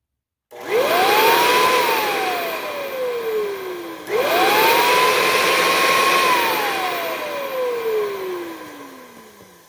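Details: Hoover Encore U4595 vacuum motor, first test during refurb with machine wood-blocked and paper towel at outlet: spins up to a clean, steady whine and winds down smoothly, twice, no grinding or rattle; sounds healthy.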